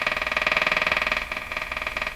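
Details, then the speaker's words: Emerson 34C tombstone tube radio from around 1935, run on reduced voltage near 80 volts: a fast, even buzzing pulse about seventeen beats a second drowns the broadcast; interference from an unknown source. "so if you do want if you do know what this interference is if you had a really good guess send me an email please I would love to get rid of it"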